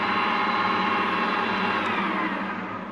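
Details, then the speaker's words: Refurbished, little-used Harrison M250 lathe, 0.9 kW motor on a 1.1 kW inverter: smooth, even whirr with a steady mid-pitched tone, no strange noises, knocks or grinding, easing down at the end; healthy running. "this blade has hardly done any work it's in fantastic condition and you can tell that because you can hear it run"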